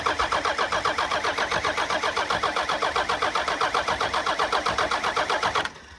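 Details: Old Dodge diesel, injector lines cracked loose for bleeding; an even starter chug about four turns a second with no firing, then it stops: normal cranking while fuel is bled to the injectors.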